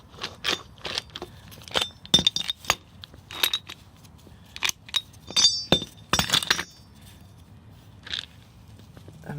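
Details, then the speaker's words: Toyota Tacoma wheel bearing, removed and spun by hand: irregular gritty clinks and crackles from the worn bearing that had made a loud whining noise. "this is the bearing this is a bad bearing this is the sound that it makes"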